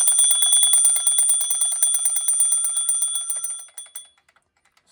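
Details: Antique German alarm clock (c. 1898–1902) before teardown, alarm tested by advancing hands: fast bright bell clatter rings steadily about four seconds, then slows and stops; alarm rings normally.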